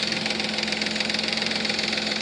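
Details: 3.5 Nissan Maxima at idle after Motor Medic flush and new synthetic oil: fast even lifter ticking keeping pace with the engine, worst at cold start and quieter after 20–30 minutes; flush did not quiet it.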